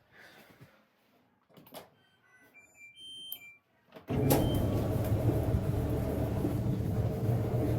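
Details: Kenmore Elite dryer after drum bearing replacement: after a door thud and a few beeps, the drum settles into a steady, even tumbling rumble with no squeal or thumping, running healthy.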